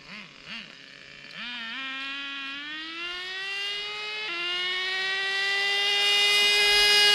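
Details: Traxxas Nitro 4-Tec RC nitro engine winds up, a sudden pitch drop at a clean upshift into second, then climbs again, after richening and tightening the shift screw that previously failed to hit second.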